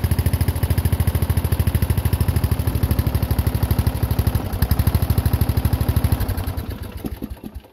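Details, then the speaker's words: Murray riding tractor single-cylinder engine, remounted properly after being held by one bolt, with brand new starter: even idle thumps, then winds down and stops cleanly; former bang at shutdown gone. "So no noise when it shuts off. That is a brand new starter as well."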